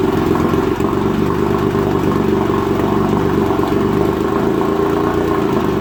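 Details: 1956 Evinrude Fastwin 15hp twin two-stroke outboard in a water bucket, after converting its dual-line pressurized fuel system to single-line with a fuel pump: steady, even buzzing beat with no stumbles or surging; fires and holds speed cleanly.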